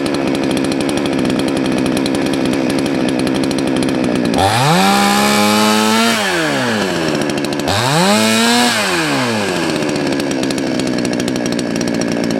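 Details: Salem Master chainsaw after high-speed screw reset about half a turn counterclockwise: idles steadily, then revs cleanly up and back down twice with no stumble or bog; carb mixture running right.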